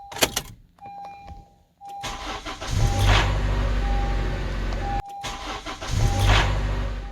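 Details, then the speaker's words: 2014 Honda CR-V with bad VTC actuator, on startup: harsh grinding rattle for a few seconds as the slack timing chain grinds over the VTC actuator, settling once oil pressure fills tensioner and actuator; chain stretched, being replaced. "what you are hearing is the slack in the timing chain is, as the timing chain is coming around, it's grinding over the VTC actuator until enough oil pressure gets into the tensioner and the actuator."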